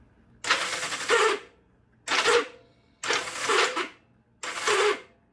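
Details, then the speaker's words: 1972 Honda CB450 in neutral, starter reinstalled: starter whirs freely in four short bursts but never turns the engine; starter clutch with springs and roller bearings is slipping, judged junk, replacement parts ordered. "so this is what we're dealing with the starter is working the clutch is not it just won't grab"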